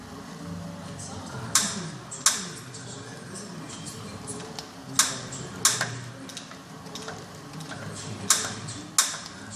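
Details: Kettler Racer exercise bike being pedalled: sharp, bright clicks in runs of two or three, about 0.7 seconds apart.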